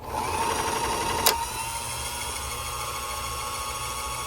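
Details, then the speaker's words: Bernette B65 sewing machine bobbin winder after cleaning dried grease from clutch and lubricating, cover refitted: smooth steady high whir then a click as it cuts out; previous loud noise gone, no grinding. "here's the machine out after I put the cover yeah perfect it's not giving you that funny noise you see perfect"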